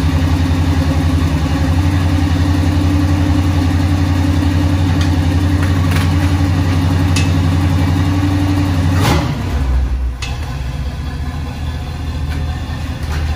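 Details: 1976 Chevrolet K10 Silverado V8 idling outdoors in wind after finishing an NP205 transfer case swap, rebuilt transmission, new Warn lock-out hubs and a kick-down cable leak fix; steady even low rumble, no knocks or misses, normal healthy idle.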